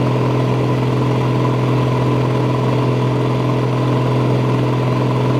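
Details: Massey Ferguson 760 diesel holding a steady even idle on an auxiliary electric fuel pump; with the original lift pump it loses prime back to the tank, air gets in via leaks on the injection rail; lift pump suspected faulty.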